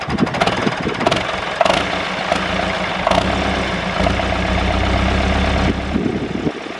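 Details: David Brown 996 diesel tractor, left sitting about 10 years, starting: a few rough beats as it catches, then a steady, even idle with no knocking; normal idle. Throttle noted as stuck.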